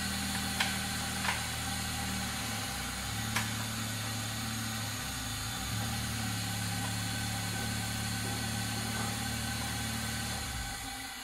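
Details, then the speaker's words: 2001 Toyota Corolla AE112, 7A-FE engine with 5-speed manual, after gearbox, clutch and rear main seal replacement: smooth, even idle with a deep bass exhaust burble, no knocks, ticks or crunching, then a clean shutoff. Normal idle. "it's got a nice it's got a nice bubble at the back it's just got a really nice bass sound this exhaust it's not a tinny you know shitty four-cylinder it cause it sounds good"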